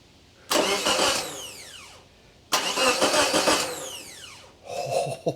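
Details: Geo Tracker being diagnosed for a no-start. Two strong cranking bursts, each ending in a falling whine as the starter spins down, then a short third try; the starter turns the engine normally. Afterward a detached black and yellow starter wire is found: normal starter cranking.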